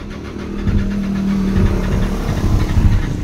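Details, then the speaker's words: 2017 Nissan Navara diesel, towed in with code P0089 fuel pump fault: long labored crank slowly building to uneven surging run; hard starting from fuel pump fault. "So pansin nyo ngayon mga kalbularyo ay super hard start talaga. At parang gihubak ang labas rito."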